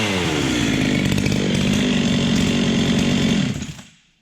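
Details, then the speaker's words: Ported Husqvarna 385XP chainsaw with aftermarket 390 piston and cylinder, first start after rebuild, noticeably high compression: high, crisp, steady scream with no stumbling, then a clean cutoff. Healthy, normal running. "holy she's got more compression than I'm used to there boys"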